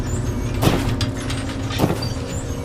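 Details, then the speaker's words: Samsung dryer with squealing and thumping complaint: steady hum with a dull thump about every 1.2 seconds from worn drum support rollers; fix is replacing the dryer rollers. "The customer complaint is that it's making squealing and thumping sounds."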